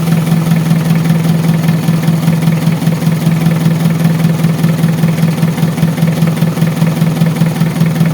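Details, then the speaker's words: Mitsubishi Adventure diesel after repairing an air leak at the fuel pump that caused hard starting and misfiring: starts on one click, steady low diesel clatter at an even idle with no stumbling or hunting, healthy. "One click lang yung start. Back to normal na naman tayo."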